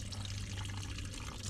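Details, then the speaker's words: 1959 International dozer being fired up after coolant top-off: steady gushing and splashing of coolant over a low engine hum, a blowout, leaking on both sides, explaining why it had no coolant. "Well, I think we figured out why it didn't have any coolant in it. We've got a little bit of a blowout."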